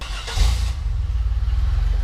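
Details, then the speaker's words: GMC Duramax after fitting new mufflers, an exhaust leak up front still present: catches with a short burst, settles into steady even low muffled rumble, quieter; normal idle. "Ooh, doesn't sound bad. Doesn't sound bad at all. Doesn't sound bad. A little bit quieter, which is good."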